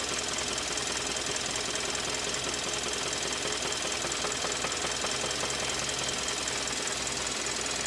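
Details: 2013 Kia Optima with code P0014: loud sharp metallic knocking two or three a second over the running engine; engine later failed and was replaced under warranty.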